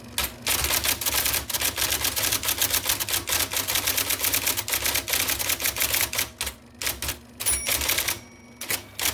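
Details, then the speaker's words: 1979 IBM Selectric II (non-correcting), revived after fixing a miswired plug, then cleaning, flushing and lubricating parts: quick, crisp, evenly struck clacks in fast bursts with short pauses as it keeps up with fast typing; normal typing. "So it will type as fast as you can type. The thing is to type fast without making errors."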